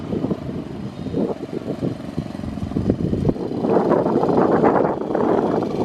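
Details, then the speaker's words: 1965 Honda 55 Trail started after sitting about a year and a half; small single-cylinder putters at low speed, picking up slightly, no misses or knocks, no smoke, runs like a top; healthy idle. "as you can see this thing runs like a top doesn't smoke at all"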